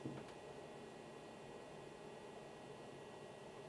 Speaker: And that is purely down to all the fans that are running, whether it's fans in here or fans in the actual switch itself. It's not interfering with my videos, so I'm pleased with that, very pleased with it.